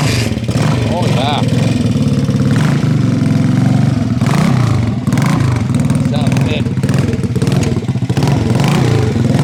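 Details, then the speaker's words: Stone-cold start of a 1968 Harley-Davidson (Aermacchi) 250 Sprint after a complete frame-off restoration: the single fires up and holds a steady, even thump with a few clean revs, no misses, ticks or clatter. Normal, healthy cold start and idle. "Wow. This is one of the nicest running vintage Armakis we've had because it's had a complete, comprehensive frame-up restoration."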